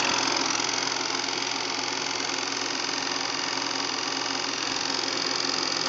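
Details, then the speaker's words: Bell & Howell Autoload 363 8mm projector running in reverse; dense, fast clattering chatter about three beats a second, steady throughout; noisy running in reverse. "and that's reverse it's kind of noisy boards sounds good though"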